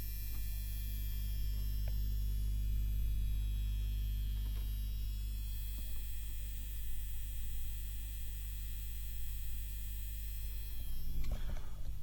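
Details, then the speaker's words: Seiki SE40FO04UK LED TV buzzing for over a year, back cover off, heard close to the main AV board: a steady low hum with faint buzz, suspected from a loosely tightened transformer coil casing, a nuisance rather than fault. "to me it sounds that it's coming more from this transformer this yellow coil type thingy okay it's a transformer and it's probably a problem of casing issue now if it's not tightened properly it will do this stuff it's not a fault it's more of a nuisance"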